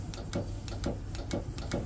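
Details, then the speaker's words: Windlass on a Saxdor 320 boat, switched on at the helm: sharp dry solenoid clicks about twice a second with no motor hum, windlass never turns; solenoid has power, suspected loss of main power to windlass, likely a breaker, unconfirmed. "I can hear it clicking the solenoid, so we have power here. It means we probably lost big power to the windlass, so we need to find a breaker."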